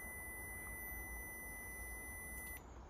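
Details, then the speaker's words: 2002 Mercedes CLK 230 W208 convertible soft-top microswitch on multimeter continuity, roof working intermittently: steady high beep for about two and a half seconds then cuts off cleanly as switch opens and closes; switch working. "you can hear my multimeter just working there when I open the micro switch so that kind of tells me that this micro switch is working"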